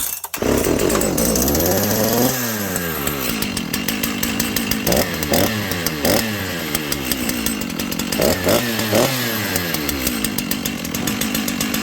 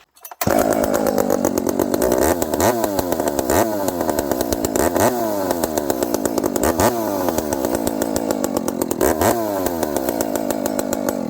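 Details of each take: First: Dolmar 7300 chainsaw with the stock muffler and its carb limiter caps removed, before a Husqvarna 266 Bearclaw pipe is fitted. It blips from idle to full revs with a strong but muffled, held-back bark: the choked stock muffler restricts the exhaust. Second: Dolmar 7300 chainsaw running a Husqvarna 266 Bearclaw exhaust pipe instead of the stock muffler. It fires on the first pull and settles into a crisp, steady idle with clean throttle blips: reliable normal start and idle.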